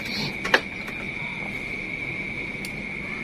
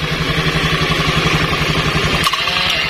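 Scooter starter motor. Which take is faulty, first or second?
second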